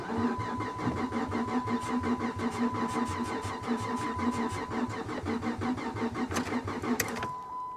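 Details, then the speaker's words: 15k-mile Chevy Camaro SS auction car, catalytic converters cut off, fuel pump heard running constantly, on booster pack: starter chugs rapidly with a steady whine, engine spins strongly but never fires. "it almost sounds like it wants to [Music] no i'll try it one more time guys i'm not gonna kill my booster pack over this car i'm just not"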